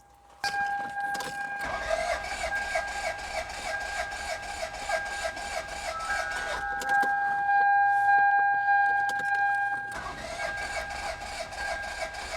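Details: Ford F-150 or 2006 Mazda 5 with weak/depleted battery cranked on GOOLOO A5 jump starter, eighth-plus repeated crank: long, even starter whir with regular pulsing that never catches; cranks but doesn't start.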